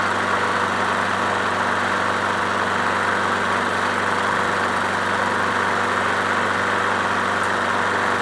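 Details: Craftsman push mower with swapped-in Briggs & Stratton Quantum engine, after winter storage; cold start after priming four or five times, first pull. Steady, even single-cylinder putter at constant speed with no misses or surging; normal, healthy idle.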